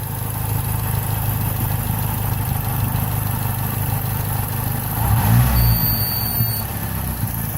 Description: This strange whistling noise just started today and I am thinking it's a vacuum leak.